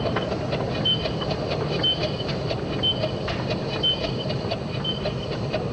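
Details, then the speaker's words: Simplex live steam locomotive converted to GWR Prairie tank, test running with new blast nozzle: sharp high squeak about once a second at high speed, not low speed; cylinders squealing. "how did you stop this squeak it was really horrible i just changed the brand of steam all i was using on the simplex"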